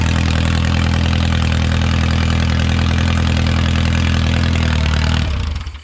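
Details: Original early-1950s engine of a Renault 4CV (car a 1952; engine failed early 1950s with cracked block, weld-repaired), reassembled and run for the first time in ~70 years, warm: even steady low idle, smooth regular beat, no knocks or misses, then clean shutoff; normal idle.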